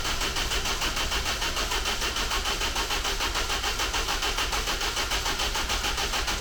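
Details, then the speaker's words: Steady, even starter cranking with no firing on a rebuilt engine in a car called the Ninety, timing set statically; won't start because the timing chain was fitted with the timing marks in the wrong place. "so when i found it as it turns out i had the p's in the wrong place so this p is for the crankshaft p and there's another p hidden it's about there there it is and it was like this"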